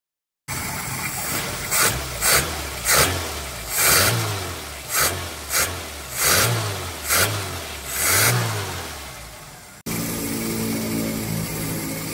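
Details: Suzuki Esteem 1300cc after carburetor cleaning and idle and throttle adjustment; snaps up cleanly on about eight short throttle blips and drops back to a steady idle with no misses or knocks, running healthy.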